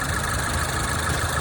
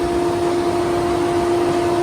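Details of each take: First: 2014 Range Rover Evoque after cooling fan control module replacement, idling with AC on, hood open: even idle with steady fan whoosh, no ticking, grinding or scraping; cooling fan running properly. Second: 2014 Range Rover Evoque, engine off, on a new battery: steady, unchanging fan hum as the cooling fan control module holds the radiator fans on until the battery drains; fault before module replacement.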